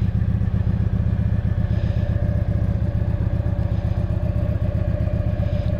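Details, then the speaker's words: Keeway V Cruise 125 (Benda) twin, new and in its first week of running-in, cold start with the key: even, steady twin idle pulsing about four beats a second, no ticking or misfire; normal idle. "Bueno amigos, vamos a hacer una arrancada en frío que os gusta tanto, con mi llave, cuchillo."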